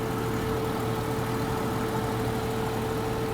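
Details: Vehicle left idling after repairing a leaking transmission cooling line, with no drips found at the repair: a steady, even idle hum with a constant low drone and no knocks, ticks or misses, and the engine sounds healthy.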